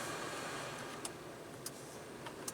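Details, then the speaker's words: Ford Expedition/F-150 cooled seats after replacing the heated seat module pigtail connector (WPT 928): a steady, airy fan rush with sharp relay clicks, about four in three seconds. Fans and relays are working normally. "I don't know if you can hear that or not, but the fans are blowing away in the cooled seats."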